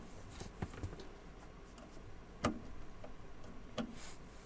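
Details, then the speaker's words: Soundstream XXX-15000D car amplifier on first power-up after component replacement, sending sharp scattered ticks and pops through the speaker over a quiet background. "Il s'est allumé, mais j'entends des petits sons."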